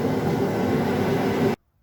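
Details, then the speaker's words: New two-burner Hell's Forge propane forge on test after assembly and leak check: steady even hissing roar from the burners, no sputter or popping, then cuts off cleanly; normal burner roar. "okay you can hear that thing burn in the background so the test ah i'm going to try that all over again"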